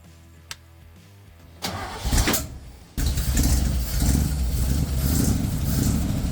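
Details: 1956 Chevy race car, possibly original V8, revived after 20 years abandoned: starter cranks briefly, engine catches and settles into a deep steady burble; normal idle.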